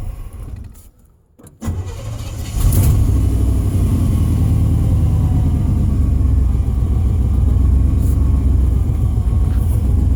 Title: Pedal pumping truck with a bad fuel pump.